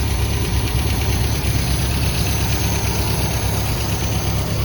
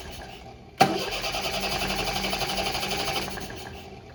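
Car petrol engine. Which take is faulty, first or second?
second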